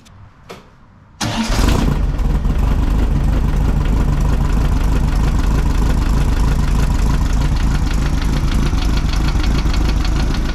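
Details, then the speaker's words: 1600cc VW dune buggy air-cooled flat-four restarting after new plugs and swapping back the accidentally crossed cylinder 1 and 2 plug wires: it catches fast and settles to a smooth, even idle with no skips. The owner says the crossed wires weren't the earlier misfire cause. "it would appear I did the dumb thing it's much happier that's not why it was missing before though I promise you that this sounds way better"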